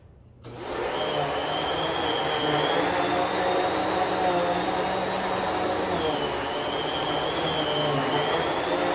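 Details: New Kenmore vacuum running on carpet at a medium setting: spins up fast to a steady whir with no rattle, grinding or wavering pitch; running normally.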